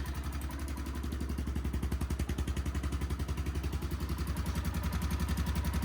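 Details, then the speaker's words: 1993 Kawasaki Bayou 400 4x4 idling: sharp, regular puffing tick each firing, about four a second. Exhaust leak at the head pipe, soot visible and felt; needs a new gasket. Possible top-end noise too, uncertain. "I think it's an exhaust leak it sounds like a headpipe leak you can see the black around that head pipe actually I can feel it it's definitely leaking from there"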